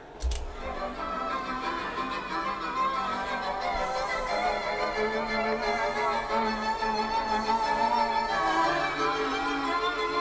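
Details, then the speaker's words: 1970s Decca Harmony CR 1100 radio/cassette, after fixing a slack drive belt, playing a commercial cassette that sounds fine on another deck: classical strings with slow wavering, sagging pitch; dreadful wow and flutter from the tape drive. "As you can hear, it's very wobbly on a piece of classical music there, and that's on a commercial cassette, so it's not the cassette's been recorded badly."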